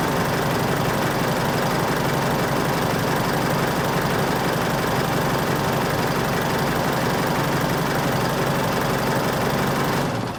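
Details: Isuzu All New D-Max 2.5 VGS diesel at idle after replacing the suction control valve: steady even clatter with a light regular tick in time with the engine, much quieter than before; healthy running.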